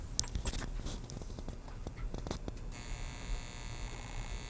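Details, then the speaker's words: Carver Silver 9t amplifier: steady power transformer buzz with quick uneven flutter on top, triac regulation circuit oscillating between levels, flickering bench lights; oscillating regulator flutter. "if you leave this on long enough it'll flutter then you'll hear like a butter on top of that buzz of the of the magnetic field transformer"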